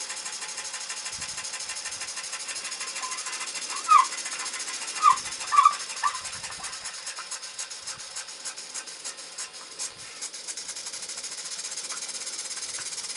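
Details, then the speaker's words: Muncaster table steam engine on a gas-fired 3-inch boiler at about 60 psi: quick, even exhaust beats that slow slightly after topping up with cold feed water drops the boiler pressure, then pick back up as pressure recovers. Normal. "Let's top it up with water now, and you should be able to hear that the engine slows down a little bit with the cold water in the boiler, and the pressure should drop, but you might see the water gauge climb."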